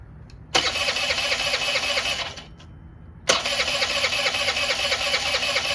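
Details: Honda Elite 80 (CH80) scooter, long-sitting: catches and buzzes about two seconds, dies, restarts, no throttle response; stalling, cause unclear (owner suspects a choke).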